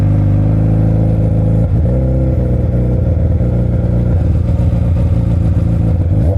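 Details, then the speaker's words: Yamaha R1 (5PW) with Coffman slip-on, servo delete and K&N filter, clutch recently replaced: pulling away at low revs on smooth light throttle gives a choppy, jerky stutter instead of smooth pickup; low-speed stumble, cause unclear. "Cause like I'm trying to take off and keep smooth throttle, and this thing is like da da da da da da. It's fucking doing it right now."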